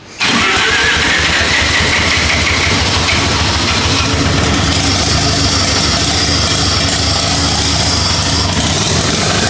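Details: Lamborghini Diablo replica with 13b turbo rotary, restarted after ignition timing adjustments, no coolant in engine: catches almost instantly after a brief crank, then holds a steady, busy rotary idle with no misses; normal idle.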